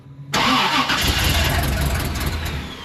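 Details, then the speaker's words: 1988 Chevy Suburban 7.4L 454 that won't stay running; pump audible but no fuel pressure on gauge. Cranks strongly but never catches and fades; crank no start, diagnosed bad fuel pump, tank to be dropped. "all right just shut it off yeah so it's a bad fuel pump we're going to have to drop the tank"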